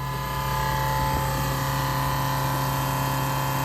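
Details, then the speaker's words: 1968 Plymouth Barracuda drag car, electric fuel pump after adding a return line with a Moroso fuel log and moving the regulator off the fender apron, pressure just under 6.5. Steady, smooth hum, quieter and less vibration than the earlier buzzing. "That's so much nicer, quieter. There's off. There's on. I even feel like it's vibrating less."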